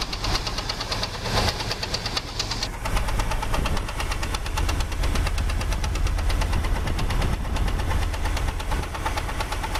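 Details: 2001 Jeep Grand Cherokee 4.0 straight-six with a fast, uneven knock at idle that began on restart after 10 minutes parked. Oil pressure and level are normal, there is no smoke, and it persists with the belt removed; wind on the mic.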